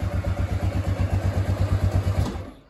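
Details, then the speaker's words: Kawasaki Bayou 250 ATV after carburetor replacement, still cold with the choke on and old fuel in the tank: single-cylinder idle thumping slow and slightly uneven at about nine or ten beats a second, then fading; idle may need bumping up a touch. "that's still with the choke on may have to bump the idle up just a touch maybe"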